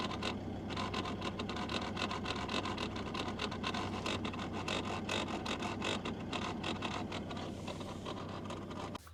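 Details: 2015 Mazda BT-50 with engine running: rapid, uneven clicking and scraping from behind the dash, as motor cogs slip inside a climate control actuator that can't find its home position.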